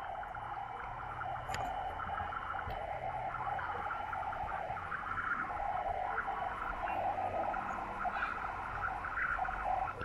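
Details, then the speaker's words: Victron SmartSolar 75/15 MPPT solar charge controller powering an HF ham radio: steady raspy hiss with faint buzzy switching hash on 80 m, arriving via the antenna, not the power cable; toroid doesn't help; noise appears at roughly 5–6 A solar input. "no it's still a no-go now many of you have said that you haven't seen any noise from your charge controller into your radios"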